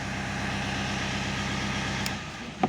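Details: 2.0 turbo diesel that had been hard to start, after a fix at the mechanical injector pump: ticks over with a smooth, even low pulse for a couple of seconds before shutting off, running normally.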